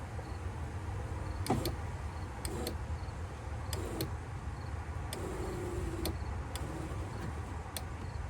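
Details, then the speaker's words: 1994 Cadillac Fleetwood Brougham rear power window after regulator work: motor hums slowly and laboriously with clunks at the stops; battery drained from the car sitting in accessory mode, low voltage starving the motor. "kind of almost sounds like it's struggling huh I don't like the sound of that but it is going up and down"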